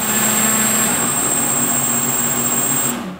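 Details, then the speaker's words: DRS250 quadcopter pre-flight check at 3% throttle: steady high whine with an even hum underneath holds level, then cuts out cleanly when throttle goes to 0%; motors spinning normally. "what you want to do is you want to move it over to the left and then just give it a slight amount of power so that the motors will spin up and keep spinning"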